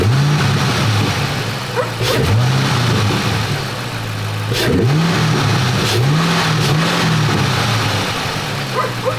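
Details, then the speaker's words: 3-valve Ford Mustang with newly installed Roush cold air intake: clean throttle blips with a deep intake roar over steady idle, no misses or knocks; engine revs healthily. "The intake actually sounds really good on this car."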